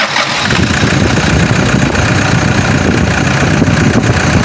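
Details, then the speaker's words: Engine idling after repair of a noisy engine, alternator and air cleaner housing removed during the work: even, steady idle with smooth low rumble, no squeal or rattle, earlier noise gone; normal idle. "Wala na po yung ingay na kumalag singsing singsing na po ah papalabas na to matatapos na ngayon naala na yung ingay"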